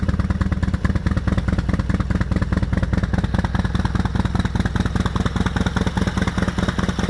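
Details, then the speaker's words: Harley-Davidson FXR with stock Keihin CV40 carburetor and K&N filter, petcock off, idling to drain the float bowl before carb removal: steady loping V-twin idle, even firing pulses two to three per second, no knocks or misses, running smoothly. "go ahead and fire the bike up and just let it idle until it dies"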